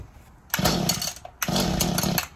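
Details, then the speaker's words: Old Mantis tiller, about 2010, two-stroke, after installing a new fuel tank and fuel lines, choke out, primed: two short bursts of raspy firing, each dying within a second, the engine catching and nearly running on the pull. "all right all right guys so it looks like it started up sounds like it's running pretty good"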